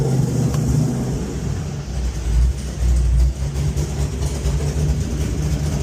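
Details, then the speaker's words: LS V8-swapped Genesis Coupe heard inside the cabin with the windows open. Rough, low idle with a puffing, ticking rasp below the shifter: an exhaust leak, to be fixed with a custom X-pipe exhaust. "You guys can hear that exhaust leak now. It's like right below the shifter here."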